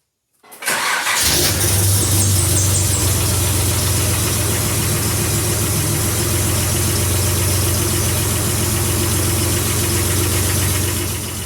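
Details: Nissan Z31 2+2 with newly fabricated 4-inch downpipe just installed: cranks, catches quickly and settles into a steady, even idle with a deep exhaust note; nothing irregular heard.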